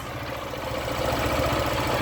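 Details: Motorcycle engine chuffs unevenly as it pulls away under clutch and throttle, losing compression as if escaping at the head; it puffed smoke at the gasket on starting; loose head gasket leak.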